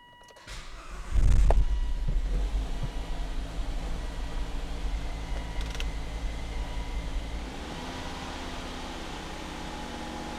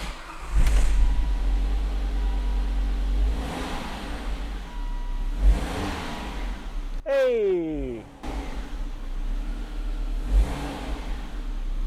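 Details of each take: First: Volvo with CEM-1A5D / 902A fault, throttle body position not learned: engine fires then revs up and sags on its own with no pedal input, huffing like an ignition coil fault, only partly responding to throttle; idle surging from throttle body position fault. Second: Volvo after a dealer throttle body replacement and a blown fuse replaced with a new 10 A fuse: the engine idles, then rises cleanly with each pedal blip and drops back. The throttle body now responds as expected with no fault codes. Normal throttle response.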